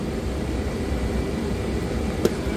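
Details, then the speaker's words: Propane furnace in a new RV, under the refrigerator behind a panel, with uneven heating blamed on poor ductwork. A loud, steady whooshing roar of air with a low hum, no rattles: excessive furnace blower noise. "so that is the furnace noise right there you you hear how Extremely Loud it is"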